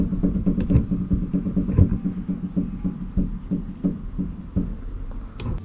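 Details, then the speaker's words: 2011 Skoda Octavia A5 facelift, knocking up front over washboard-type bumps: worn left anti-roll bar link rocked by hand gives sharp, hollow knocks about three a second; the right link looks recently replaced; the fix is a new stabilizer link. "зрозумів що маємо характерний стук при переїзді серії кочок на покритті типу шиферної хвилі в основному першими виходять із чату тяги та втулки стабілізатора"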